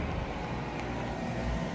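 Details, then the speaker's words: Frigidaire Affinity front-load washer (standing water in drum, broken door latch) on warm quick wash, door locked: steady low hum with water rushing, no grinding or rattle; normal drain pump operation, water flowing out. "Tiny bit coming out there. Okay. I mean, that's a good sign. She's flowing."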